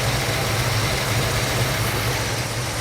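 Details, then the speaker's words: 1972 Ford Mustang Mach 1 V8 with cleaned-up Ford 4300 carburetor: rough, lumpy idle that keeps swelling and sagging as the vacuum gauge near 15 in rises and falls; hunting idle, cause unclear, new plug wires planned. "assis juste à 15 pouces de ce puits, il y a régime, euh, continue de monter et de descendre ou le vide continue de monter et de descendre"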